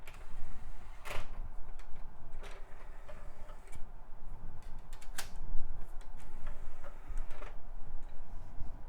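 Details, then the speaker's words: Early-2000s Sony Vaio CD drive reading a CD-R: irregular sharp clicks and ticks in scattered bursts as the disc loads and seeks, yet the drive works and seems high-speed; clicking and seeking noise. "Well, those sounds don't inspire confidence. Let's see. Oh, but it works. Sounds like a pretty high-speed drive, too."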